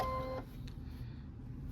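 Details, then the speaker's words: Brother NQ3550W sewing machine: short two-tone electronic beep as sewing starts, then quiet hum; warning to use the presser foot lifter button to lower the raised presser foot. "I would get that beeping sound and it says use the presser foot lifter button to lower the presser foot. That's what comes on here."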